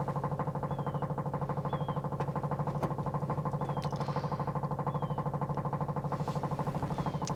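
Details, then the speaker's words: Corvair-powered Baja Bug, back on the road after six months, cold weather: fast, even cranking pulses for several seconds without firing; hard start, owner unsure if it needs choke. "once it turns over you can't just hit it again you gotta go all the way off and then come back on it's really annoying especially if you're rolling because the wheel locks"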